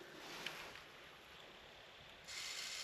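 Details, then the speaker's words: PSP 3000 Slim with a formerly loud UMD drive, after lubricating it with silicone oil on a cotton bud: only a faint soft whir and light hiss while reading a disc, no scraping or rattle; the drive now runs normally. "Oh, that's a disc. Well, that was easy."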